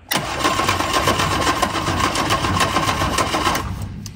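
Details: Innocenti Spyder, sat for years, after an ignition refresh, cranked on a jump-start box with a spark tester attached. Steady starter churn at three to four beats a second; it never fires, though a spark is seen. It cranks but won't start.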